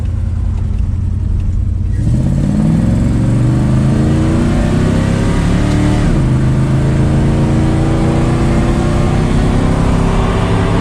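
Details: 1969 Dodge Dart V8 after swapping a poorly running Holley 750 cfm carb for a Holley 600 cfm and replacing a leaking header gasket, revved: rumble rises smoothly through two clean revs, no misses or ticking. No more tractor noises; possibly loading up on fuel.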